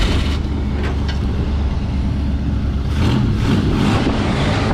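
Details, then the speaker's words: 1968 Ford F100 V8 after a new ignition coil was fitted to cure an ignition fault; it catches and settles into a steady, even rumble with no misfire, confirming the coil was the cause all along. "It was a doggone coil the whole time. It was a doggone coil the whole time. I said it was a coil and I went through everything else."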